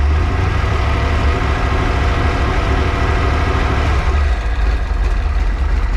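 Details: Freshly built 408 stroker small-block Ford Windsor on break-in oil, warm: deep, even V8 burble at steady idle with no knocks or misses; fresh engine idling smoothly.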